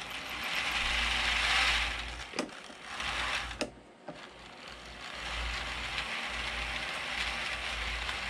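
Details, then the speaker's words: Realtrack Class 156 OO model loco (156497) running in one direction only: dry scratchy squeak over gear whir, traced to one bogie's axle/wheelset, later repaired. "What's interesting is if I lift this part of the bogie up, you can hear it squeaking. So I definitely know it's on this part of the loco."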